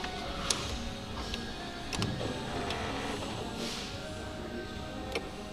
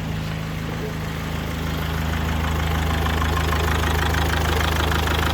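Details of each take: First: 2004 Mazda 6 2.0 MZR-CD diesel, original engine: quiet cranking, then once it fires a steady hard rapid knock rides over the idle; valvetrain first suspected, but the engine proved knocked out and was replaced; a broken oil-pressure sensor wire was found. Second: 2004 Mazda 6 2.0 MZR-CD diesel after engine replacement, now idling evenly with a smooth low drone, no shake and no check-engine light; scan showed large injector correction on cylinder 3, so either low compression or an injector fault.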